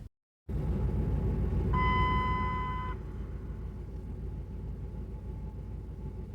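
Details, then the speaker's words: 2003 Dodge Durango while driving and turning, months after brake line work: high thin squeal rises out of road rumble for about a second then fades; owner unsure whether wheel bearing or a bolt. "my question is that squealing that wasn't happening afterwards but now it is I'm just wondering if if it's the uh wheel bearing or the bolt"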